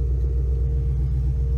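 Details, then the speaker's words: Project Redfire car on MS3Pro with PWM fan speed controllers on the engine and heat exchanger fans, fully heat-soaked after a drive: steady, even low rumble with a faint hum and hardly any fan noise; normal hot idle. "all right we got the car fully heat soaked went for a good drive uh it's completely hot no hardly any fan sound it's great"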